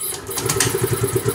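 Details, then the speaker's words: Fuel-injected motorcycle, fuel injector already replaced and throttle body cleaned, fuel pump supply and priming OK: when started it catches with short, uneven chuffs and stumbles without settling, so it won't stay running; cause not yet found. "Pero kapag pinaandar natin, ayaw umandar. Yan, naandar siya at hindi natutuloy."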